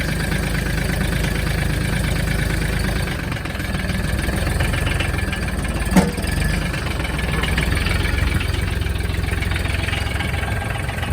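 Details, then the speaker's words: Mahindra Max 26 tractor diesel with 363 hours, started after sitting on a 10-second glow plug wait with the throttle down. It fires right away into a steady, even low chug with no knocks or misses. A normal idle, crank-no-start problem resolved. "There you go. Fired up right away. Light went out. We're good to go."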